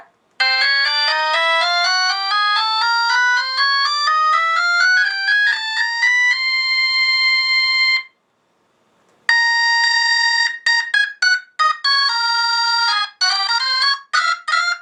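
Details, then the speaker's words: Brand-new Hammond Suzuki ferro fluid Leslie upper (horn) driver under test: loud, clean organ notes climbing in even steps then chords, no buzz, rattle or crackle; strong, healthy output. "that leslie feral fluid from hammond suzuki brand new you here did you hear how strong that was"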